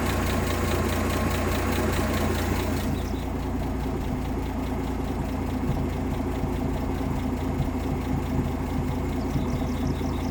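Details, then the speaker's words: 1958 AMC Rambler Super with a Weber carb; idle being turned down with the idle screw. The low idle goes lumpy and uneven and bounces around more the lower it is set. "yeah now it's kind of bouncing around a little the more i turn it down the more it's bouncing around"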